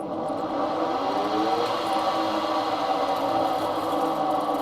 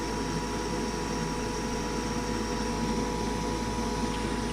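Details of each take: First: Goodman furnace with pressure switch fault: inducer motor whirs roughly, drones unevenly, then coasts to a stop, often stuck and failing to turn; bearings sound worn, capacitor not ruled out, replacement motor ordered. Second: Goodman furnace with a pressure switch fault, after the hose was refitted and the unit switched back on: a steady even hum with a faint fixed tone, no rattles or surging; the inducer motor runs smoothly, status light now steady.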